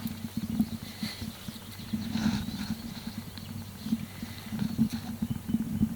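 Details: 2005 Nissan Sentra 1.8 liter at idle: sharp, regular knocks several each second; rod knock from a shot number 3 cylinder connecting rod big-end bearing.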